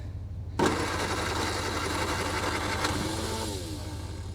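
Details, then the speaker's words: 1960 Triumph Herald dormant 42 years, after owner crossed the wires to cure backfiring, back on the stand: engine catches quickly and settles into a smooth rising run with no pops or backfires; starts clean. "Look, it's not popping anymore."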